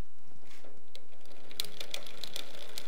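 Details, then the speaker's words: KBO cruiser e-bike (500 W motor), raised and pedaled in first gear during rear derailleur indexer adjustment: light, irregular ticking as the chain rubs a neighbouring sprocket because the indexing is off-centre. It disappears after further adjustment. "so you can hear the clicking so i'm gonna give it a little bit more adjustment in that direction and you can hear the clicking went away so that tells me i'm centered on that sprocket"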